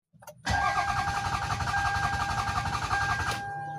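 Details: Toyota Sienna cranks but won't start: the starter whirs steadily at about four cranks a second for three seconds and the engine never catches.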